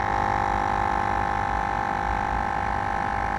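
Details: Mr. Bubbles air pump that had rusted out, running after repair with aluminium placed over the corroded contacts: small motor humming with a steady, even tone and constant light buzz, no stutter or dropout; pump running properly.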